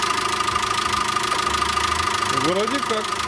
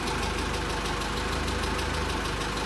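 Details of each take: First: VW Caddy 2.0 BSX methane-fuelled engine after lifter (hydraulic compensator) work and timing belt replacement, just started, not fully warm: even steady idle with smooth hum and no top-end ticking; lifters quiet, engine healthy. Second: VW Caddy 2.0 BSX, factory methane (CNG) engine with higher compression and diesel-like sound, after new Bosch wires and plugs cured misfire; warm idle with light quick metallic tapping, one or two valves clattering, owner suspects hydraulic lifters.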